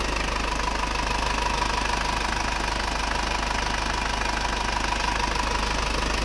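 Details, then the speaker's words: Circa-1997 Isuzu Panther 2.5 diesel that idled rough and shook, after cooling-system overhaul and fitting a thermostat: even, regular idle clatter about two beats a second, no hunting or shake; idle now steady. "Panther dari Malang ini kemarin hidupnya goyang banget ya stasionernya pincang-pincang goyang-goyang sekarang sudah selesai"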